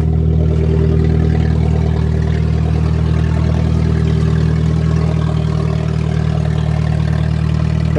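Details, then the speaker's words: Nissan with 2.4 L 12-valve inline-four, cold start at −8 °C after a −11 °C night: a steady, even low rumble with no misses, knocks or ticks, a smooth healthy idle. "yep everything's okay perfect and a bit of"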